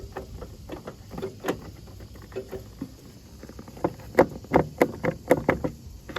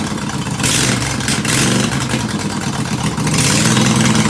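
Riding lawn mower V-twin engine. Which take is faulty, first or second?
first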